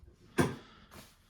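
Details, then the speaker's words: Heating radiator thermostatic valve body, head removed, pin pressed in and out: sharp clack as pin snaps shut, then softer settle; high differential pressure between inlet and outlet slams the valve closed. "si j'avais pu dessus on voit que ça rentre ça sort et quand jacky longtemps le cas claque ça c'est"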